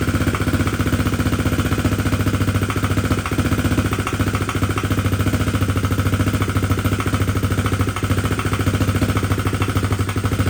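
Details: 2021 SSR 125 pit bike, single cylinder, new Lifan 125 cylinder head, idling after idle screw adjustment: fast, steady tapping knock roughly three to four per second; crankshaft first suspected, actually excessive valve clearance.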